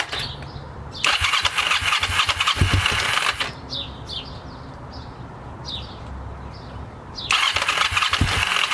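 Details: Kawasaki Ninja being buttoned up with a new air filter, before carb sync: engine fires and revs in rough bursts, then drops to a lumpy, wavering idle before revving again; carburetors out of sync.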